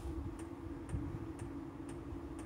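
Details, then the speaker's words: Diesel heater in VW T4 Transporter van after about 20 minutes running, interior at 19 degrees, heard from outside with door shut: soft steady hum and regular fuel pump ticking about twice a second as it cuts back; running normally. "yeah it's not gone mad though is it is working right back I better shut the door they oh it's working because it's cut back"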